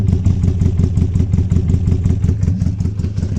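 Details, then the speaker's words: Mk1 Ford Escort with new bottom end, first run, cold before thermostat opens, carbs noisy, cam retarded: lumpy idle with steady chug and odd irregular pops; intermittent misfire, owner suspects arcing spark plug lead. "I think that could be to do with a spark plug as well, because I have got a spark plug lead that's arcing."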